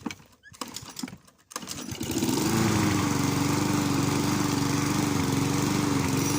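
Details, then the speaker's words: Mountfield self-propelled lawn mower rescued from scrap, new electric brake, started with switch on and a bit of throttle: pull-start rattles, then the engine fires and holds a smooth, steady drone with no misses. "So we're just going to go ahead and start it up, and yeah, you'll hear her in all her glory."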